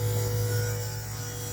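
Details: FueLab Prodigy 1800 external in-line fuel pump at high speed: a steady, even electric hum with a constant low tone and no surging or rattle. A little louder than low speed but running healthy.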